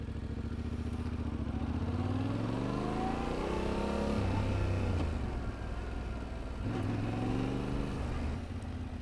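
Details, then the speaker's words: Motorcycle first-to-second upshift deliberately made clunky to show poor clutch and throttle coordination; revs climb then drop sharply at the change with a jerky clunk before pulling again. "I'm going to demonstrate a clunky shift and what it could look like, and then I'm going to demonstrate what smooth shifting looks like, so that you know what your starting point is going to be, and you know your goal, you know what you want to be at."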